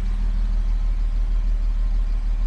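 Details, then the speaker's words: 1975 Jaguar XJ6 with a leaking head gasket, after sitting two months on probably old gas, heard at the tailpipe at idle: a steady, even low rumble with no misfire. A noise up front is probably water spilled on the belts. "So that's the thing. This thing runs very nicely and everything else."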